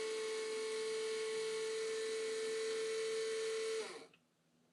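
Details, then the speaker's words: 1987 Mercedes 560SL (R107), unstarted since 2008, fuel pumps powered by power supply, line into bucket: steady high whine about four seconds then cut off, spinning but delivering no fuel; owner suspects a plugged filter. "pumps turn pumps were cool to the touch you can hear them spinning but nothing would come out my guess is we have a plugged filter"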